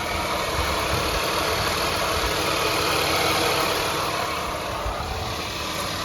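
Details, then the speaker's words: 2003 Mazda Tribute V6 after repairing a noisy bearing pulley, AC compressor left disconnected: smooth, steady, quiet idle with only a light, even valve-train tick; no bearing whir or grinding. "Wow, it's nice and quiet. I don't know if you can tell."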